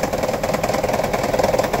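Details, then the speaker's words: 2009 Toyota Prius 1.5 hybrid at idle, 1100 rpm, engine bay: steady idle with fast even rattle, misfire not occurring at this moment; P0304 cylinder 4 case, shorted spark plug and low compression found, plugs replaced. "so if I get off the vehicle I'm going to show you here there as you can see engine is rattling but no Mis fire"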